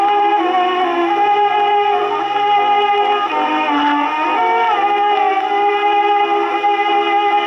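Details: 1923 Victor Victrola VV-VIII spring motor after cleaning out overly thick grease from the spring barrel, playing with No4 HMV reproducer: steady pitch with no thumping or wow, constant speed; normal phonograph playback.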